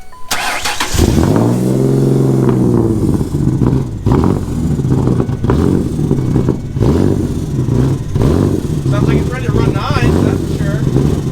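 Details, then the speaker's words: Ford Sport Trac after fire damage, newly restored power; engine catches and runs lumpy, stumbling, steadying somewhat as revs build, possibly gas-heavy after ignition tinkering; rough running, cause not confirmed. "sounds like it was running better once you got it up in the rpms it stopped running like crap"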